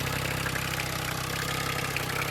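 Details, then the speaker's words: Yamaha 9.9/15hp outboard with the idle speed adjuster tightened: a steady, quick buzz, turning noticeably faster than a proper idle. At this speed the cooling stream is strong, but it shouldn't idle this high; idle speed is set too high. "At this speed, it is. But it shouldn't be idling at this speed."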